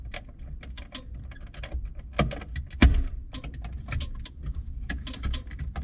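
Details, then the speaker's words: Horn relay clicks irregularly over a low hum; the spring-loaded horn contact is broken off and, pushed by the steering wheel, shorts against a nearby tab, causing constant honking and clicking. "now she's still clicking away well guess what because that's broke off there and not held down this is kind of spring-loaded and relies on pressure to make a connection"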